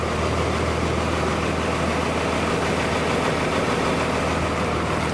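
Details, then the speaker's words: 2002 Thomas Freightliner FS65 school bus, 5.9L Cummins diesel, 155,000 miles: warm idle with a smooth, steady clatter and no skips or rising noises; engine sounds good, but it smokes, cause not yet known. "Engine sounds good. But as I said, it does smoke."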